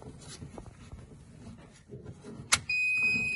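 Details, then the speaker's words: Manfredi Prisma Galileo machine switched on at its internal main switch. A sharp switch click is followed by a steady high electronic whine, the main-board cooling, as the system initializes normally. "so now we just have to wait while the system initializes so a little patience here the noise here is uh of course the calling of the main board"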